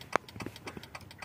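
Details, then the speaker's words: 1994–1997 Honda Accord after installing aftermarket LED turn signals: sharp relay clicks about a second apart; hyperflash because the other side has no bulb lit. "The other side doesn't have any light on. That's why it's making that sound."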